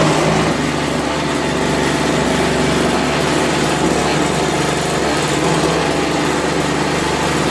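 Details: 3.25 hp 16-inch two-stroke Toro snowblower after carburetor cleaning, primed with a drop of fuel: small two-stroke buzzing at a steady, even speed with no surging or missing; runs properly.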